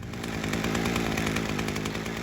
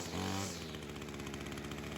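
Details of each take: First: Small two-stroke warming up at idle with a dense, slightly uneven burbling rattle; low screw set rich to compensate for an air leak, before leaning it out. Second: Ryobi two-stroke weed eater after fixing a head-gasket air leak: a short blip, then a crisp, steady idle with even firing and no hunting, low-speed carb screw leaned slightly, head not spinning; normal idle.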